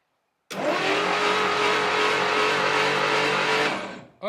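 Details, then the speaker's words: 1959 Studebaker Lark 259 V8, sat 36 years: with the spark plugs removed there is no compression, so the starter spins the engine fast and evenly in a smooth whirr with no chuffing beats. "yeah that's what it is forgot there's no plugs in it so there's no compression"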